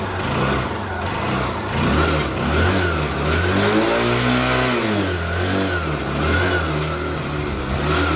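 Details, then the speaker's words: Motorcycle single-cylinder engine revving after work completed (bore had failed by 16,000 km), silencer cleaned; clean note rising and falling smoothly through throttle blips, no knocks or rattles, now very smooth: normal engine revving. "బండి మొత్తం complete అయిపోయింది ఒకసారి sound వినండి engine [ప్రశంస] sound బండి అంటే చాలా అంటే చాలా స్మూత్ అయిపోయింది."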